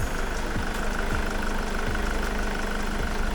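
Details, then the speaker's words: Jaguar X-Type 2.2 TDCi diesel that was failing to start, now running after the injectors were removed and power-probed to free the solenoids: steady low clatter with an even beat, no misfire or stumble; running fine now. "Sounds like it's running okay to me. So, thank God that is done."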